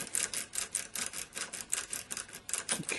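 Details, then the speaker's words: Snake key raked in an ERA rim cylinder lock: light, quick ticking with the lowest-cut key only gently touching the pins, no clunking or binding against the key. "only hearing it gently touching the pins inside the lock."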